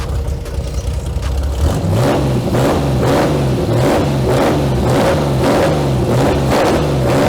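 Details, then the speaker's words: Kraftwerks/Porsche 917 race car with rebuilt PMO carbs, linkage joined: loud open exhaust with an uneven pulse and pops; running rich, with black tailpipes. "As you can tell, right there, even when I was revving it up, you can still hear a little bit of popping."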